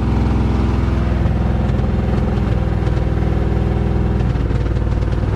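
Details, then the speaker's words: 1987 Chevrolet truck on its first run after adding about 8 litres of fuel, with no air cleaner fitted. Loud, lumpy exhaust with an uneven, stumbling beat under light throttle; definitely misfiring, with the motor shaking. "afraid to take my foot off the gas it doesn't feel like it'll keep running here we're going to try it it's running on its own sounds like it's misfiring yeah it's definitely misfiring way that motor shaking"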